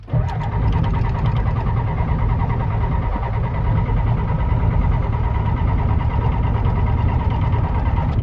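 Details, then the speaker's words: 1992 Ford F-250 IDI diesel, flip truck, after new batteries, air filter, glow plugs and glow plug relay: steady heavy cranking over eight seconds, never catches; crank-no-start despite fuel, cause unconfirmed. "Oh, she just doesn't want to start. Huh. She's getting fuel. Just not really too happy, huh?"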